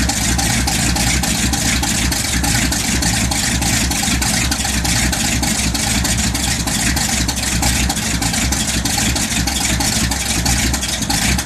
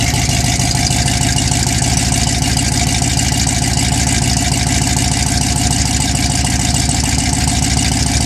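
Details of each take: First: 1979 Ford F150 cold start at 15°F with choke out: loud fast, slightly uneven idle that won't settle, needs a little gas, sounds better after. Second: 1979 Ford F150, carbureted, cold start at 15°F on a January night with choke pulled and a little gas: heavy, even low pulse at a steady cold idle with no stumbling or missed beats; now running cleanly.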